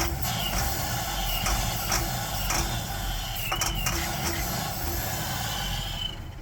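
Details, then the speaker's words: 1960 Ford F100 with a no-start, run on starter fluid: a rough, uneven rumble catches and fades within seconds, so spark and compression are fine; a fuel delivery fault is suspected, with the tank sender unit in question. "All right, so it will run, so I just got to figure out what's our fuel delivery problem."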